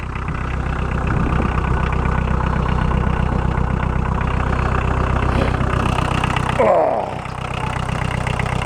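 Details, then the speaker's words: VW 1.6L diesel Caravan, first start after sitting 7 years in a pasture (power steering broken, fuel tank rusted): steady idle with the usual even diesel clatter about two and a half knocks a second, low rumble, no odd noises. "My diesel gray caravan. You can't even hear it. The classic diesel sound. I still love it."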